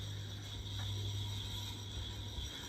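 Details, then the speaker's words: 1994 GEC 120cm ceiling fan on low speed with extremely bad bearings: steady low motor hum with a faint rattly, ratchet-like chatter and thin high whine from worn bearings. "you can hear the bearing noise now if you can hear it's quite noisy isn't it"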